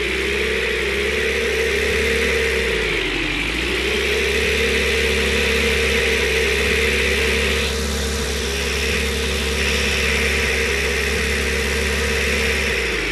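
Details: Old pickup truck, first start after about 60 years: steady high whistle rides over the engine, dipping briefly as revs drop and recover; the whistle's source is unidentified but the engine runs.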